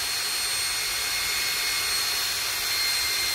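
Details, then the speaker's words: Philips hand mixer, after maintenance with new grease: even, high-pitched whir at full speed with no knocks, grinding or wobble; the motor and gears run smooth and healthy, expected to last another 20 years. "this is perfect and it will work again for some 20 years to come"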